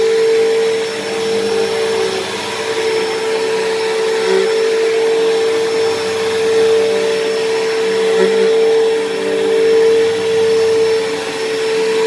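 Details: Dyson DC07 upright vacuum, long unused, running: constant loud whine at one steady high pitch, louder than normal; owner suspects dried-out bearings in motor or brush roll, motor bearings already somewhat worn and worsening, still passable.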